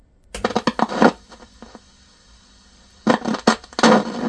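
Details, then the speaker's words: 1975 Sony KV-1340UB Trinitron CRT TV, bought from an eBay seller, at first power-up: sharp cracks and snapping bursts like internal arcing while a faulty picture appears. Owner suspects the line oscillator isn't starting properly. "there's things going on I can hear it there was a big crack oh wow okay"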